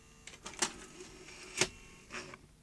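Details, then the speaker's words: JVC HR-7700E / Ferguson 3V23 VHS recorder, circa 1980, chain-driven front-loading carriage: mechanism whirs in short uneven bursts with clicks, straining and stalling; very slack carriage drive belt slipping, needs replacement. "It sounds like it's got a slipping drive belt. So, we've got some work to do with drive belts next."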